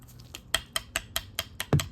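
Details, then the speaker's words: Ford Ranger upper control arm ball joint, rocked by hand: dry, gritty click about five times a second; not loose but rough, full of water with the grease gone; worn, arm replaced. "So, it was making all kinds of noise. And the driver's side is better. Okay. So, it's not it's not loose, but it's real rough and it's loaded with uh water and everything got got uh all the all the grease went out of it."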